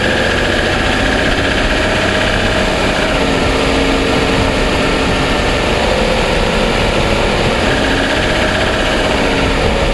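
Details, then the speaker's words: 2007 Toyota Sienna petrol engine, still under powertrain warranty, idling on a cold start with the mic in the engine compartment: a fast light ticking runs through steady engine clatter. The dealer heard it and thought it was piston slap, which they consider normal; not confirmed. "on cold start I'm having problems with the engine making a ticking noise and you know they don't deny hearing it and they um thought that it was uh piston slap"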